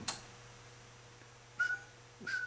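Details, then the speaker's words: EF Johnson Ranger tube transmitter before recapping, keyed in phone mode at about 50 mA with audio brought up: two short high feedback squeals over a low hum; likely bad capacitors, risking modulation transformer damage. "all right she's uh she's modulating but see that that's not a good thing if you have a ranger that's squealing and you hear that feedback don't go any further shut it down because more than likely you got bad caps or there's a feedback issue"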